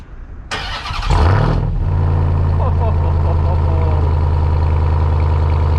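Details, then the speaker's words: New 702 hp Hellcat-powered 2021 Ram TRX, first cold start; it cranks briefly, flares sharply, then settles to a steady high idle with no knock; a slight noise is expected to fade as it warms. "wow that sounds awesome now it doesn't have a knocking sound that a lot of people have heard with the crx is it does have a little bit of a noise but it sounds like it's going to go away once it warms up a little bit"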